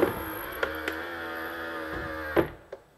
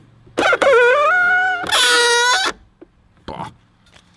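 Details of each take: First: BMW X1 E84 folding exterior mirror a few days after spraying oil into the gaps: smooth even motor hum about two seconds ending in a soft clunk, no squeak; the earlier squeaking is gone and the motor no longer strains. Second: BMW X1 E84 power-folding exterior mirror hinge: two loud squeals rising in pitch as the mirror swings in and out, louder after spraying silicone oil; dry, dirty hinge rubbing, later treated with graphite oil.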